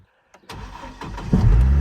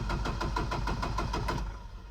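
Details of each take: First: Chevy Colorado after Passlock no-start: a couple of quick cranks, then it fires and settles into a deep, steady idle; normal engine start. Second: Chevy Colorado cranking but not starting due to Passlock anti-theft lockout, before the free fix (white wire): long even cranking bursts that never catch, engine turns freely but won't fire.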